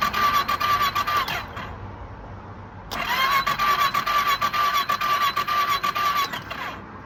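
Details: Kawasaki ER6 twin misfire, compression test: starter cranking in two short bursts, light uneven beat without firm compression; one cylinder read 125 (slightly low), the other shows no compression at all.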